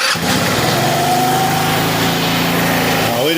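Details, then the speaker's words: Retro-style GY6 scooter revived after 15 years neglected, oil only topped up. Steady fast idle that never settles lower, then shutdown. A clogged carb pilot jet is suspected; vacuum lines were checked OK. "it is idled up a little high, but all right, she's a runner. She sounds pretty good."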